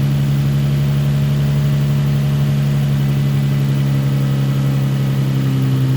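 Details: Nissan 350Z after a cylinder misfire, with coils swapped between cylinders and codes cleared. Steady, even idle with no skips, misfire gone; the cause was a spark plug, though it still smokes from burning oil.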